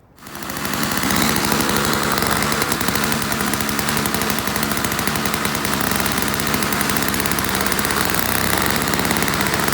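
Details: Toro CCR1000 3-horse single-stage two-stroke snow blower, after cleaning a gummed-up carburetor jet and removing string from the paddles: loud rapid buzz holds steady pushing through snow, throwing much better; normal running under load.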